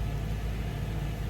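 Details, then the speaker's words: 2013 Subaru Impreza with replacement engine, on jack stands: low, even idle rumble with steady beat, no knocks or rattles; engine sounds healthy though camshaft position sensor check-engine code persists, cause unknown. "We still have the check engine for the camshaft position, the camshaft position sensor, but the engine sounds great."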